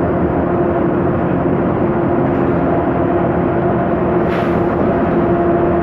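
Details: 2009 MAN Lion's Classic CNG city bus, MAN E2876 LUH03 EEV engine, ZF Ecomat 6HP504C six-speed gearbox; steady hum from the rear while cruising with a faint constant whine over road noise; noisy rear differential.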